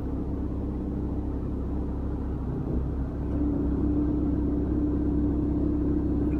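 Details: 5-year-old Proton Saga FLX 1.3 with CVT gearbox, cold start, A/C on, handbrake applied and shifted into D: deep steady engine rumble growing louder and heavier; owner suspects engine mounting, unconfirmed.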